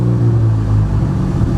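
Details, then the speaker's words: Ford Focus ST, cold, on a problematic tune revision flashed for the track: low, deep idle rumble that wavers and won't settle with no throttle input; idle hunting, owner blames cold engine and the tune, cause unconfirmed. "So it has a hard time holding an idle. 1, because it's cold. 2, because this revision since I got it has been kind of problematic."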